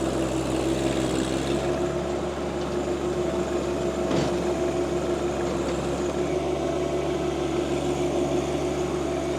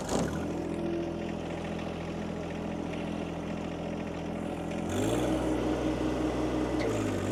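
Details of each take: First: Tarter RT205 rototiller on John Deere 2025R compact tractor, after top gearbox replaced (oil had leaked, gears seized): steady even drone, tiller churning smoothly with no knocking or grinding. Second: John Deere 2025R driving a Tarter RT205 rototiller by PTO: steady drone then the note sags and labors as load hits, bogging; top gearbox oil leaked out over winter and gears seized; seized PTO tiller gearbox.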